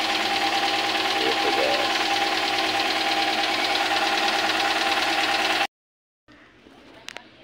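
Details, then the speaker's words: Daihatsu Gran Max engine with persistent overheating, previously mis-repaired at another shop (pistons found installed backwards): harsh, clattery idle with regular tapping about three times a second; owner says it wasn't rough before; cause suspected, not confirmed. "kan suaranya kasar Tadinya enggak enggak kasar katanya ya menurut keterangan owner ya guu guys"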